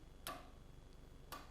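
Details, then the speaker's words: Relay-switched 24 V solenoid on a DIY CNC mill (normally-open contact, triggered by button or microcontroller output) pulls in and releases with two crisp clicks over a faint hum; normal solenoid actuation. "you can hear the solenoid actuating."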